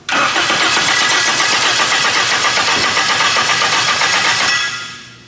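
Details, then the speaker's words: Honda K-series engine swap, cranking without a working ECU: even, quick chugging on the starter for about five seconds, no clatter or grinding; cranking healthy, though starter engagement sounds harsh, probably tight tolerance. "it crashed it cranks there's no weird noises one more time that starter engagement is gnarly"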